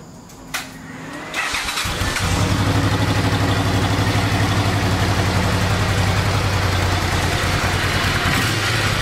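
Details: 1986 Honda VT500 Shadow V-twin after a carburetor clean and new air filter, carbs not synchronized: cranks briefly, catches quickly, then settles into a steady, even idle with no stumbling or misfire.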